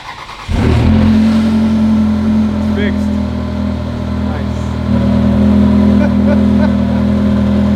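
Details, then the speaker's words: Ferrari 360 Spider started after replacing intake manifold gaskets to cure a loudly whistling vacuum leak: fires quickly, steady even idle with slight rev rise, no whistle or hiss; normal idle. "holy crap I can't believe it finally runs"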